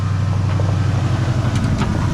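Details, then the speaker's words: 1968 Ford F-series pickup "Ole Red" with 360 FE V8, freshly tuned with new headers and exhaust, no hood: deep, steady, even V8 burble with no misses or knocks; engine running well, normal running. "oh man oh it sounds good y'all"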